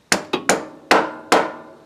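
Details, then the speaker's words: Honda Civic CV axle replacement after a bad boot: axle end lined up with the transmission hole and tapped in with a mallet; five sharp dry metallic taps, solid metal-to-metal contact, no rattle, axle fully seated. "And in this case, I'm just going to take a mallet and, you hear that? That little kind of a solid metal to metal contact."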